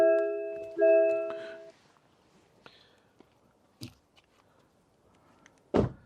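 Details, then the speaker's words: MG ZS EV before its comfort update, driver out with keys and ignition left on, trying to lock; two clear chime bongs about a second apart then door and lock thuds, the ignition-on warning. "if I now close try to lock that it's bonding like mad so it bongs anyway"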